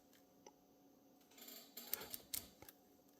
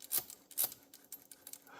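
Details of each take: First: Typewriter carriage return (Olivetti Lettera 22 or Smith-Corona escapement): light, uneven normal clicking as the star wheel brushes the loose dog; a stud can limit it. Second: Manual typewriter carriage (e.g. Olivetti Lettera 22, Smith-Corona): short metallic rasps as the carriage moves, the rack tilted and grinding on the pinion near an end, indicating the margin bar or margin release not releasing the rack properly.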